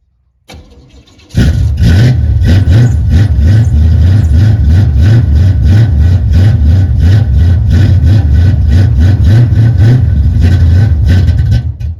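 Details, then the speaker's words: 1978 El Camino V8 with no choke, cold start at 16°F: quick crank, catches at once and settles into a strong, steady lumpy idle with no stumbling; a healthy cold start from a well-tuned engine. "look at that I've got this thing tuned pretty well 16° cold start with no choke"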